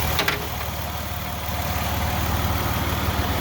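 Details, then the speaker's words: 2003 Ford Escape 3.0L with P0405 EGR low code, new EGR sensor installed: sharp rapid puffing ticks about four per second over the idle, keeping pace with firing; exhaust leak that could affect EGR readings. "you can hear an exhaust leak on this thing too that will definitely affect the way this works"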